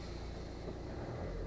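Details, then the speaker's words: Citroen Berlingo 2.0 HDi diesel with uneven starter churn and suspected compression loss or failing injector: on restart the engine settles into an even steady rumble with no stumbling, knocking or misfire, starting as it should. "Let's start her again. Oh, that's more like it. That is how she should start."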